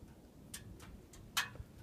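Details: Subaru just after engine shutdown, with a few faint irregular light ticks over a quiet background; owner unsure whether it is normal cooling-off or a problem.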